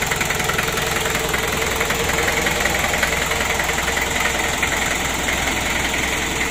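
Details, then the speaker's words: Freshly rebuilt 1987 Daihatsu Taft GT Jeep diesel engine, first start, warming up while checked for oil leaks: loud steady diesel clatter at idle, even rapid knocking rhythm, no misses or surging; normal idle. "untuk Awali kini untuk awal hidupnya seperti ini sambil kita panas sih dan kita pantau kita Cek kebocoran Dek remesan oli"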